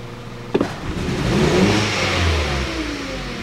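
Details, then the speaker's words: 2012 Hyundai Solaris, 1.4 (title) or 1.6 (speech) petrol, automatic, FWD, 108,000 km: sharp throttle blip makes it stumble and revs rise unevenly while the check-engine light blinks. Exhaust smells of rich fuel. Misfire suspected from the ignition coil or spark plug. "резко даю газу провал заморгал check [музыка] воняет топлива из выхлопной смесь богатая такое впечатление что какой-то из цилиндров не работает то ли катушка то ли свеча"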